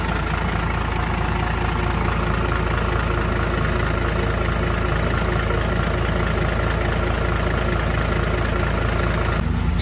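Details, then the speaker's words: Steady, even diesel idle with a deep low rumble and no misses or knocks after the dirty fuel was flushed and the fuel lines bled; the engine, previously weak with suspected injector damage, now runs smoothly with fuel flowing freely. "เราจัดให้แรงเลยนะพี่พี่ว่าแรงขึ้นไงน้ำมันเดินสะดวกโอเคครับ"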